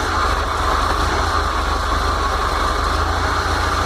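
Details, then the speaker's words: VW T25/T3 Devon camper on Weber IDF carbs with no choke, cold start: low, even idle thrum on the idle circuit with no knocks or stumbles. It moves cleanly into the main jet circuit. "Then it goes into the main jet circuit. Spot on."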